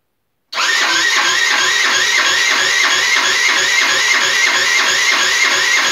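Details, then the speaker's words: Rebuilt GY6 50cc 4-stroke Sprint Max scooter, first start attempt after rebuild with fresh fuel, new 24mm CVK carburetor and oil: steady starter whirring about three beats a second, never catching. The battery went flat overnight and could not start it. "Ljudi, sinoć je, znači, sve baterije su crkle, baterija na GoPro, baterija na telefonu i baterija u akumulatoru."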